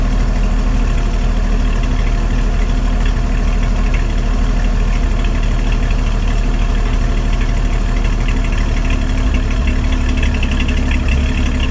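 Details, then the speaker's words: 1955 Chevy after a new exhaust head pipe and small muffler, running only on fuel poured into the carburetor bowl: steady, deep, throaty exhaust rumble at an even idle with no ticks, knocks or leaks; normal exhaust note. "So there's our new head pipe, and I think it sounds pretty throaty. It sounds good for a little muffler."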